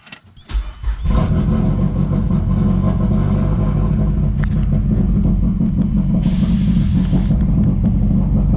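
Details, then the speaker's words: Mazdaspeed 3 with leaking AEM methanol injection nozzle dripping meth into throttle body, before solenoid install; cold start into lumpy, loping, uneven idle, rich codes and random misfire: rough idle, running rich. "so it sounds like a rotary when it first starts up but once it burns off that bit of meth then it's fine but you can see i'm getting an engine code for running too rich fuel bank rich"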